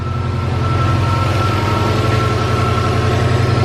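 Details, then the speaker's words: Subaru (owner's 2008 Legacy GT) after an eBay turbo install, on its second startup left to idle: steady, even idle with a smooth low pulse and no misses or knocks, and no white smoke. Normal idle. "turn dude it sounds great there's no white smoke bro she runs let's go dude"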